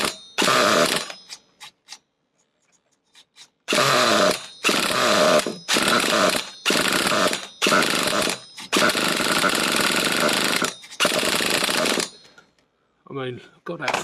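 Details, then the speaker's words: Nitro Trophy RC buggy that the previous owner couldn't get running: high buzzing bursts about a second long at full throttle keep cutting out, so it won't rev out; the low-speed needle is suspected. "We should be revving these nuts off."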